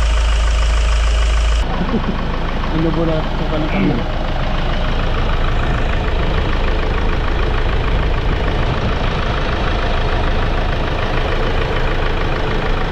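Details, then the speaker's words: Hyundai Starex diesel after the grinding noise repair: a steady, even idle with a low rumble, and the earlier loud grinding and droning is gone. "Ayun oh pinik na yun solve na ang ingay mga boss wala na yung masakit sa tenga na umuugong o grinding sounds"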